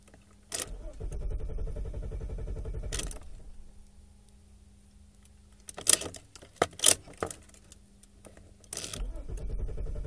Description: car will not always start, gets me TO and FROM work but rarely starts otherwise please help!!!!